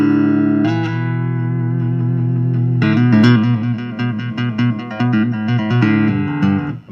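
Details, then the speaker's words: Laney LA60C solid-state acoustic guitar amp, 90s, passive electric guitar through passive input: clean chords and notes, no hum, crackle or hiss; phase, chorus, parametric EQ, treble and reverb work fine. Active input had been cutting out. "they all work fine a parametric EQ treble and reverb"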